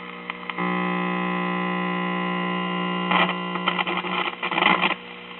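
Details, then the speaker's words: 1956 cardboard-cased tube radio, first power-up at 120 volts: steady hum with bursts of scratchy crackle and distortion as the control is worked; first blamed on a bad filter capacitor, then possibly a poorly contacting volume control. "This sounds like we have a bad filter capacitor right off the bat."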